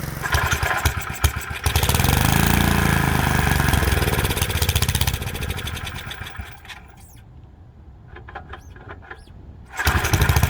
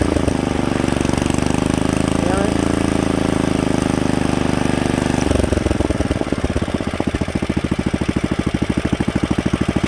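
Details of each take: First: Freshly rebuilt Kohler K91 runs steadily, then sags and stalls after its first break-in run. The carburettor float was jammed in the up position, likely having wiggled loose, so it was not metering and was pouring in fuel, flooding the engine. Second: Rebuilt Kohler K91 single-cylinder engine after a carburetor float fix, moving from low idle to fast idle: steady running that shifts to a quicker, crisp, even beat around halfway, with no misses or knocks. Healthy fast idle.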